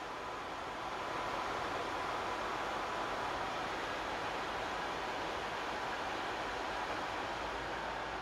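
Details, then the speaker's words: PS5 console fan with an adjustable speed controller fitted to the fan port, turned up to maximum. A steady, even rush of air with a faint whistle, like a jet engine, moving a large amount of air with no ticking or rattle. The fan is healthy. "there we go guys it's like a jet engine all right that's that ramped up to the Max and there is a massive massive significant amount of air coming off that it is going 10 to the Dozen"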